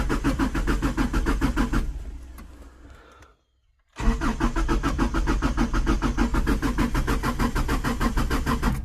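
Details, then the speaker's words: Subaru with new Reetwire standalone ECU install that ran the day before but would not start next day, after checking hardware: steady starter cranking about three turns a second, pause, more cranking, never catches; crank no start. "Nothing. But it didn't run in the first place. Well, didn't start in the first place."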